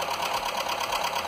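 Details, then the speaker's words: Skoda, probably a Fabia, with VW 1.4 16V petrol engine (BKY), just reassembled with used pistons for piston slap, first start with oil on the pistons: light, quick, even tapping over the idle that may quiet down as it runs in. "Troszkę stuka jeszcze. Ale tak trochę klepie. Może się rozchodzi."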